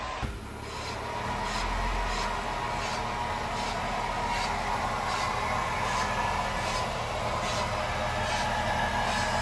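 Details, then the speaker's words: Jeep JL rear axle with new Revolution 5.13 gears, Ox locker, Yukon chromoly axles, spun up without wheels or rotors: rough grinding with regular scrape about four times a second; shop suspected brakes, but noise persists; axle housing later suspected and replaced. "sounds terrible no matter which way you look at it took the rotor off still making a noise"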